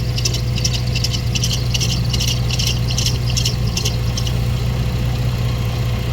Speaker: and when the noise goes away you know you hit your culprit so looks like uh that is the tensioner pulley that we got squeaking